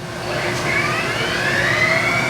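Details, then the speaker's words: Mazak Integrex e650H mill-turn turning spindle after replacing a relay and the spindle power supply, shifted to low range with a 460 rpm maximum: smooth whine climbs then holds even, no grinding. Normal low-range run. "that's that's our 460 rpm is a maximum it'll go in low range"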